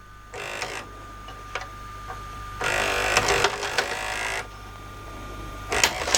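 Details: LG VCR that wouldn't eject, after about two hours of realigning and repairing the loading-mechanism gears: faint motor whir, a few seconds of busy gear chatter, then a click as the tape ejects; the mechanism now runs smoothly, a normal eject cycle.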